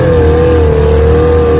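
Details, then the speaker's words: Restored 1947 Johnson HD-25 2.5 hp outboard on lake test after replacing broken carb intake manifold: steady two-stroke buzz, even pitch, no misses or surging; normal running. "HD-25 1947 Johnson 2.5 horsepower. Putting along good. Right up."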